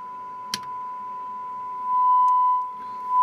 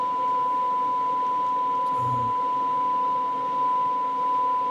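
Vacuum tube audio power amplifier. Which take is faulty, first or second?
second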